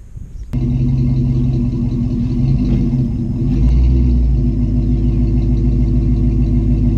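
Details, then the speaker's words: 1995 Ford Bronco V8 with headers, Flowmasters and 3.5-inch angle-cut side-exit tips; deep, even burble at idle with one quick throttle blip, steady firing and no knocks, healthy. "three and a half inch angle cut tips with some flowmasters I mean she's pretty pretty stock it's got like headers and a few other little things sounds good"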